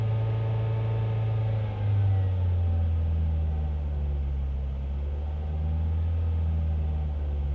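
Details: Ford Fiesta ST150 engine under full throttle, in gear and out of gear: deep steady drone with odd low churning pulse about four times a second; abnormal noise, source unknown.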